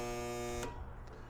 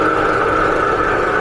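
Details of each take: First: Husky Pro air compressor, bought new 2007, failed about 3 years ago; pump not locked, starter/motor issue suspected: loud steady electrical buzz about half a second with no spin-up, louder with motor in original failure position, breaker not tripping; burnt motor failing to start. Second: Husky Pro belt-driven air compressor, bought new 2007, repaired after a hard failure and 3–4 years sitting, belt guard off, building pressure: loud steady drone, even pumping beat, no knocks or squeal; motor running cool, old belt stiff.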